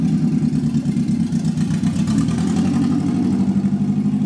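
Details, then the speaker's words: Toyota Yaris, under 90,000 miles, idling with no exhaust fitted because the old one was worn out: raw, loud, blatty idle with sharp, open, unmuffled pulses. "well currently as you can hear it's got no exhaust on it whatsoever because it was knackered"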